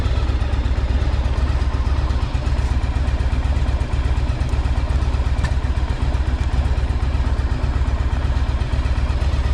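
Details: 1984 Yamaha Virago 1000 V-twin idling after carb flooding fix and refitting cleaned fuel tanks, no fuel leaks; deep, even, steady low thump, no misses or rattles; sounds good, though owner notes a little backfire.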